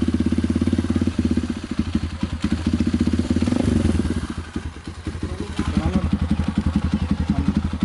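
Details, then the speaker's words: Kawasaki KLX 150 single-cylinder that would not start due to no spark, after ignition (plug, coil) check and fix: even quick put-put idle rising and settling cleanly with small throttle blips; running normally again. "Nah kita akan coba hidupkan motornya mau ke teman-teman ini sudah hidup Ya udah normal kembali"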